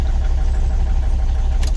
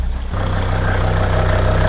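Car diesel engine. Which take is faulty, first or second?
first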